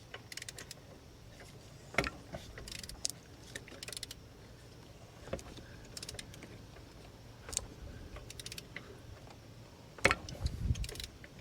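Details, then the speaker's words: Mercedes-Benz A350 with the M276 V6 and a cold-start rattle: engine turned by hand with a quiet whir and sharp isolated snaps from a worn cam adjuster popping. This snapping causes the rattle on startup. "That snapping action right there. that will cause the rattle on startup"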